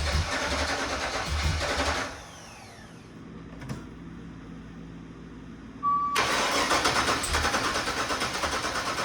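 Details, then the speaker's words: 1985 Monte Carlo SS with cammed 6.0 L LS2 swap, after five years sitting and a fuel system rebuild at about 58 psi, first start: rough, lumpy V8 stumbling and cutting out; some injectors suspected not firing; misfire. "But still no start. It wants to go.. Something is wrong. I suspect some injectors aren't firing."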